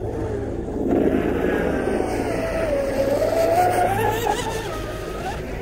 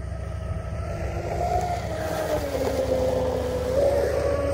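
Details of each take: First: Pro Boat UL-19 RC hydroplane, first run after rebuild with Castle Hydra XLX2 ESC and SMC packs: at full throttle the motor whine wavers and dips instead of climbing cleanly, a power cut of some kind. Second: Pro Boat UL-19 30" hydroplane with Castle Hydra XLX2 ESC, Oxidean Marine 4082 motor and SMC 7600 packs, first run after rebuild, batteries warmed up: steady high motor whine climbing slightly at full throttle with no cut-outs.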